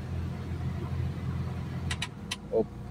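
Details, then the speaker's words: Mitsubishi Lancer Cedia automatic that stalled after starting, after reassembly: steady, even low idle with no hunting or stumbling, a few clicks and handling noises over it, idle now holding. Normal idle. "So Ayan try na nating pa- Yee Ayan nagkakaroon na siya ng menor"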